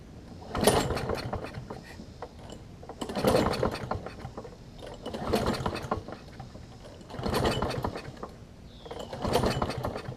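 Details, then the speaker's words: Toro self-propelled push mower with Kohler engine, government-auction buy: five slow pull-start surges about two seconds apart, turns over but never catches; no spark, owner thinks old gas fouled the spark plug. "so I think there was some old gas on the spark plug what I did is I took the spark plug back out"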